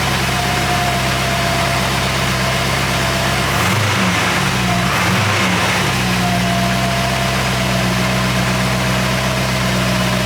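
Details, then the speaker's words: Rebuilt Porsche 928 V8 just after oil change to better oil: smooth, steady idle with one brief throttle blip, no tapping or ticking; engine sounds healthy. "all yeah sounding really good really smooth"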